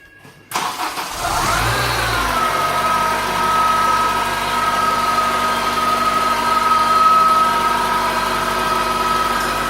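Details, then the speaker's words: Honda Integra DC5 / Acura RSX base model, after start at idle: steady high whine over the engine, earlier blamed on power steering pump then alternator (alternator replaced, whine remains); cause not yet found. "can probably hear that wine I'm sure you all heard that whining noise originally I was told it was the power steering pump but I wanted to check it all out"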